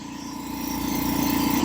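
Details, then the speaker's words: Revived long-idle air compressor refilling after a drop, running up past 135 almost to 140 psi before cut-out: even steady pump thrum growing slightly louder; no leaks heard, a small unidentified rattle remains; running normally. "Seems like it's doing air compressor things. It's doing everything it's supposed to be doing."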